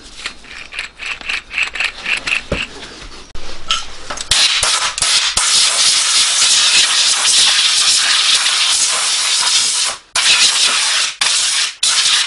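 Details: 2014 Hyundai Santa Fe 2.2 diesel, 245,000 km: the removed rear wheel bearing spun by hand gives a dry, gritty rushing rasp; it had grown noisy over a month and was replaced.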